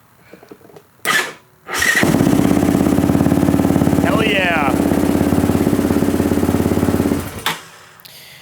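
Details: Yamaha Raptor 660 ATV after transmission replacement and weeks of electrical system repair: first start attempt, brief crank then catches at once into a steady, lumpy single-cylinder beat for about five seconds; clean start.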